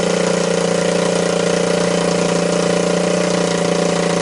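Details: Honda ATC200S engine after being seized twice and a cracked oil filter cap replaced, refilled with oil: smooth, even single-cylinder idle with steady buzzing tone, no knocks or misses; running normally.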